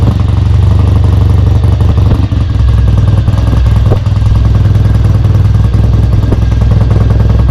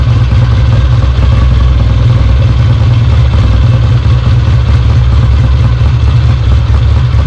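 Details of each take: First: Kawasaki W1 twin, first start after restoration, carb being set up: thumps along unevenly and stumbles, won't idle off choke; idle circuit is clear, owner suspects a vacuum leak or a too-small pilot jet. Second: Kawasaki W1 twin on first start after rebuild, carburettor idle and mixture unadjusted, no tank fitted: loud, steady low thump with busy mechanical clatter on top. Runs evenly and oil comes from the lines, so the oil pump is working.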